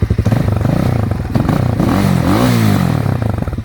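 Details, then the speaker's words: RPS Magician 250 Chinese trail bike, CG-style engine, over 10,000 miles: single-cylinder thump fires up and revs cleanly, pitch following the throttle, no misfire, knock or smoke; runs fine. "Blinkers, but it still runs good. Let's fire it up, Chris. Look at that. No smoke."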